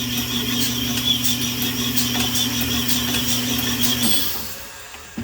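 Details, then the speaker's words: Rusty salvage Nissan Z24 block for a D21 pickup, machine-honed with 220-grit stones for a re-ring. Steady hum under a scraping hiss that pulses each stroke as the hone catches; this bore is out of round. "you can see that one's got some out round you can hear it"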